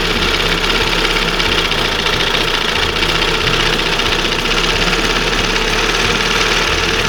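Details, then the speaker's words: 1971 Johnson 20 HP two-stroke outboard after the failed OMC primer pump was replaced by an old-style carburetor with side idle adjustment: even, steady, low idle with a smooth beat and no misses or surging. It is idling normally, though a slight slump remains. "So, she's almost back. That's That to me, that's the way it should be idling. Not revving real high. Nice smooth."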